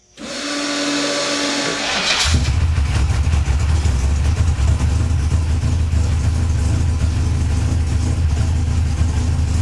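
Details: First start after correcting cam degreeing: starter catches within two seconds, then steady, even low idle rumble with no knocks or misses; engine running normally.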